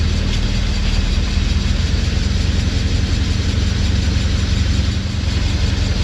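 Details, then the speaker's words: 2012 Suzuki SX4 AWD CVT, on jack stands: low heavy buzzing drone with rough beat, rear differential nose shaking half an inch, vibration noticed at low speed; seized joint in central propeller shaft. "Watch the rear diff there. It's incredible how the cameras don't pick it out. It's buzzing like a bastard. It's moving a half inch, easy."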